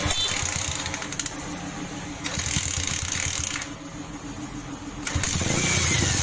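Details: Bajaj 180 single-cylinder motorcycle after replacing valve stem seals, loose cam chain and tensioner rubber: catches and revs up, drops back, revs again cleanly with no chain rattle or slap.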